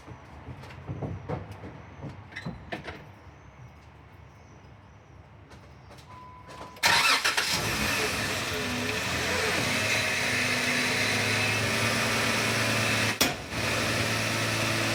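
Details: Jeep JK Wrangler: handling clicks, then the engine starts and settles into a fast idle with a faint irregular pop. Popping noise; source not pinned down.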